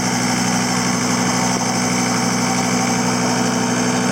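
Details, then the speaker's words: CT332 diesel after an oil leak fix, now no longer leaking, with the muffler removed and the pipe cut out: a steady, even idle with a light turbo whistle made more audible by the missing muffler; no knocks or misses, healthy. "Now you can really hear that turbo with that muffler being removed."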